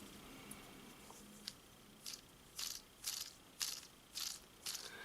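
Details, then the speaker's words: Craftsman snow thrower auger bearing, failed after short use, spun by hand; dry gritty rattle in bursts about every half second, sloppy and loose: worn auger bearing. "yeah it's it's not happy yeah it's definitely sloppy"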